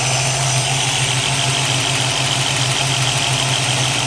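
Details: 1965 Ford Mustang 289 V8 idling after installing new Holley 650 vacuum secondary carburetor and adjusting float height, before warm-up and idle mixture setting: steady, even smooth drone, no hiss or stumble; steady vacuum, no vacuum leak.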